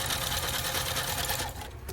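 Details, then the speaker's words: Juki F-600 sewing machine after repair of a too-high needle bar, a broken gear and retimed trimming knife: fast, even stitching rattle at steady speed with no knocks or grinding; normal running. "I'm just gonna try it and see what we got. Okay, this just sounds good."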